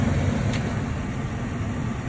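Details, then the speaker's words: Lennox ML180 gas furnace in a crawl space on a no-heat call, after cleaning a dirty flame sensor. Slow red status light with a call for heat, then blower on and gas on. An even low rumble of burner and blower air with no surging, scraping or squeal is heard: normal furnace operation. "So we just got a slow red, which is just normal operation with a call for heat. So looks good. Still waiting on the blower, and here we go. It's on. Blower on, gas on."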